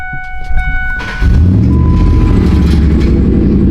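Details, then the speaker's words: Ford SVT Lightning V8, 110,000 miles, MagnaFlow exhaust, cold air intake, new Denso coil packs, still running lean and awaiting a tune: starts and settles into a deep steady idle with no knocking or ticking; normal idle. "here it is idling sounds super ghosts got a magnaflow exhaust idle super good it's 4:30 over super good Idol super clean you can't hear any knocking ticking"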